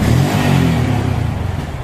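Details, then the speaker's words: Yamaha Vixion (old model): revs up then sags, firing slow and uneven, dies on throttle while neutral idle survives; suspected tank, throttle body, spark plug cap; fuel starvation from contaminated fuel and dirty fuel pump, cleaned in full service. "Hai kalau digas mati-matian dah mati ya oke kendarain kayak gini kalau aki ini masih normal ya jadinya netralnya masih hidup jadinya ini kayak gini itu permasalahan kemungkinan besar di bagian tangki trotol body sama chop busi biasanya"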